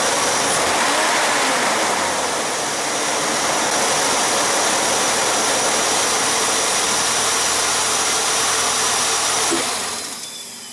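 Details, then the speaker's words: 2002 Ford Ranger 2.3 with over 200,000 miles, first start after new air filter and cleaned MAF sensor: steady, even idle with smooth hiss and no knocks, misses or stumbles; sounds okay. "That sounds okay."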